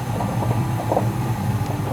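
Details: Old (about 12 years) Whirlpool gas water heater whose pilot wouldn't stay lit, after replacing left-hand-thread thermocouple; steady low roar with soft bubbling on top, no popping or flutter; burner holding a stable flame, repair fixed.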